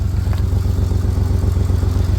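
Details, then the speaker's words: 1993 Dodge Caravan with a Chrysler 3.0 and a blown head gasket, idling unevenly with a skipping exhaust beat. It is missing but idling, the motor mount is bad, and it may have no coolant left. Misfire at idle. "It's idling okay right now. Obviously missing, but it's idling."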